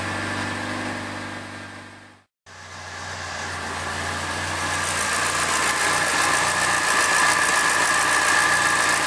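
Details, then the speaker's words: Triumph Dolomite 1300 engine just fitted to a Gentry MG TF Replica, idling after first start while warming up and burning spilled oil off the manifold: smooth regular beat building slightly, no knocks or misses; sounds like quite a good engine. "We'll let it burn that oil off. Actually sounds like quite a good engine."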